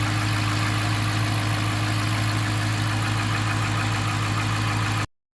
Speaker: Idling right down, no check engine lights. Do a little rev here. Yep, you can definitely hear it. Sounds great.